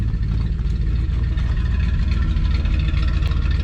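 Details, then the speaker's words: 1987 Coachmen Class A motorhome on a test drive after a freshly rebuilt transmission was installed: a deep, even rumble with no misses, knocks or rattles, so the engine is running smooth. A separate unidentified issue "up here" was noted. "it's sounding really good running really smooth that sounds good except for up here we'll get to that"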